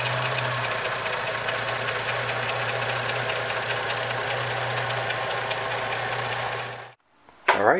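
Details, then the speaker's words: 2004 Jeep Liberty Limited 3.7L after replacing both valve covers for an oil leak: steady, even idle with a smooth low hum and no knocks, misses or ticks; no leaks, brief smoke only from the valve cover work. "so overall it's it's running great there's no leaks anywhere uh there was a little smoke in the beginning but that was just from when i had taken the valve covers off"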